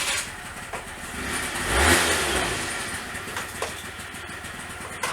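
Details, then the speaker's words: Honda Dio 34 two-stroke scooter after rebuild (rear brake pads, variator, belt, crankshaft bearings and seals replaced, fresh oil, exhaust welded): even ticking idle, one quick throttle blip settling straight back, no knocking; healthy idle. "робить просто ідеально мені аж подобається так тик-тик тиктикк годинничок на такому скутері їздити"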